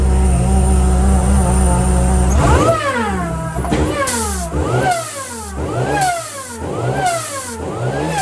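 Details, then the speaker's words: 1997 VW Golf Mk3 GTI 2.0 8v with a bolted-on, untuned R53 Mini supercharger and very loud exhaust: whine rises and falls with each throttle blip, loud and whiny; supercharger spinning up as it should, though the car drives poorly. "Yeah, it's loud, it's whiny, it's superchargery."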